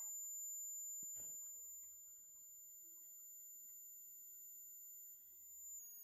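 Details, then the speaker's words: Smaller of two large homemade Joule-Thief-style coils charging a 63-volt capacitor toward about 60 volts: faint, steady, high-pitched ringing; it charges faster as it quietens, current falls, and the ringing stops when the coil is full at resonance. Normal coil ringing. "Still hearing a ring. Still ringing. Seems to start to charge faster here too as it gets quieter."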